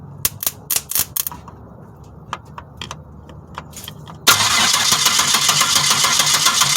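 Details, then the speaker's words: Rusty 1997 Pontiac Grand Prix GTP coupe, starter jumped directly: a few clicks, then strong even compression pulses of three to four per second while cranking. It does not fire; the ignition relay is to be checked next. "i jumped the starter and this thing has some great sounding compression so here we go"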